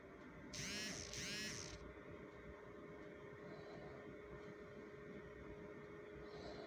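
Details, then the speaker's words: Chinese diesel heater at first fire-up after repair of a roaring, whistling, scraping fan: two short chirps, then the fan settles into a quiet, steady hum with no jet-like roar; runs smoothly. "okay guys this is our first fire up after the repair as you can hear the fans Not roaring like it did before"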